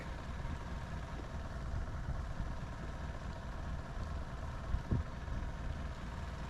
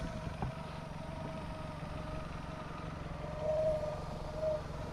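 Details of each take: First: Sea Ray boat engine after fuel line replacement, idling low, all four cylinders dropping evenly. Low, slightly uneven idle. Active IAC fault and no response to the IAC test; circuit tested good, IAC valve bad. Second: Boat inboard engine after a broken fuel line was replaced and a faulty IAC valve fixed: quiet, even idle with a soft low hum and light mechanical ticking, holding steady; normal idle.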